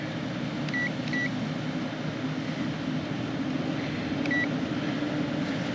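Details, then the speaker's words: Mitsubishi ductless mini split heat pump, call was no heat/not responding; now heating on high fan speed, drawing 10 amps; steady airy fan rush over even hum with a few short beeps, no rattles or surging, running normally. "10 amps so she's running she's running on high for sure"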